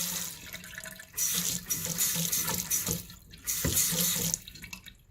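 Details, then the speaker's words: Apartment sink faucet water hammer after fitting a 3/8-inch water hammer arrestor under the sink: water gushes in short bursts, a single dull thud on opening and closing that stops at once instead of repeated banging. "So there is still a bit of a thud when you open and close the faucet, but it doesn't like go off in a loop anymore. It just stops right away."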